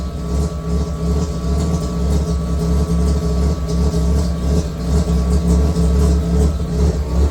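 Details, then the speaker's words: Mazda 323 with 13B rotary swap, ran rough since drive home; idles very low with uneven lumpy pulse around three beats a second, poor when revved; blocked fuel filter suspected, fuel and ignition checks pending. "So, as you can tell, it's idling really low, but even when you try and lift it, doesn't sound so great."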